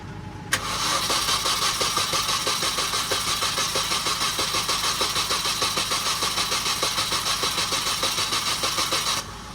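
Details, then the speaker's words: Supercharged Mini R53 first startup after engine reinstall: steady starter churn, even pulses about three per second for nine seconds, never fires; spark checked, low fuel suspected, grounds to be rechecked. "Plugged into where it needs. I mean, it could be fuel because it's quite low on fuel."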